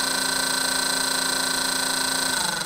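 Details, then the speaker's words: Small fan on a bench test fed 12 volts through a regulator with voltmeters and oscilloscope; steady loud whir with fixed high whine over airy hiss. Loud fan noise, cause unclear. "making quite a noise and then this one a little bit of a burning smell but also just a whistle and nothing good working"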